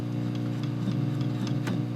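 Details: Valco Chicago 51 6V6 tube amp with new Jensen speaker: loud steady preamp hum with scratchy crackles as loose unshielded wires are moved, later replaced by shielded cable; a corroded 6SL7 socket was the final cause.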